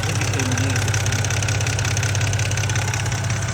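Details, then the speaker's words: BMW E90 323 petrol engine idling with an annoying light, regular tick over a steady low hum, also heard when driving, before a hydraulic-lifter oil additive is added. Cause not confirmed. "This ticking goes up like um making noise and people be like, "Oh, this car is up.""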